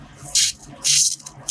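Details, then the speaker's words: Yacht fuel hose at a bulkhead clamp, engines that would not start after sitting: sharp hissy bursts with each primer pump stroke as air is sucked through a split under the clamp; suspected root of the problems. "So, you take the clamp away and here's what you're left with. And that is just enough to suck air."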